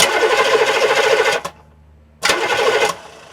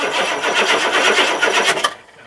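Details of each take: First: Diesel engine starter, microphone right under the starter, cranking and spinning down: two bursts of fast, even starter whirr at about three and a half beats a second, each winding down cleanly; normal starter cranking. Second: Diesel engine with glow plugs disconnected, microphone under the starter: starter turns over in slow, dragging, lethargic pulses for about two seconds then stops; slow cranking, owner suspects weak batteries or a starter needing to be opened up.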